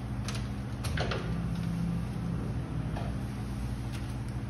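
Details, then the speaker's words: Gen IV LS swap in a G20 Chevy van before first start, key-on at about 12.5 volts: a low steady hum with a brief rising whir as the ECM-controlled fuel pump primes and the throttle body cycles; normal. "it did throttle body cycles so i know everything's getting power ecm is controlling the fuel pump"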